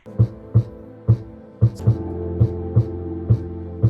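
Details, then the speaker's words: New Monoprice 12-inch budget subwoofer: heavy bass thumps with a brief papery buzz on each hard hit, from a loose internal wire slapping the plastic port tube. "i noticed that i think it just from the sound of it it sounded like a wire hitting against the plastic"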